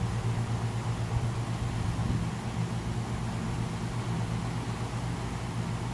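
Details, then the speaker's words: Rooftop commercial condenser unit, relay terminals swapped while testing: outdoor fan keeps running with a steady low drone and even air rush despite no call for cooling; relay suspected stuck closed, capacitor known good. "wow that's amazing the fan is running the van is running but there's no call for cooling but it's the same fan that's running hmm interesting interesting let's check our relay"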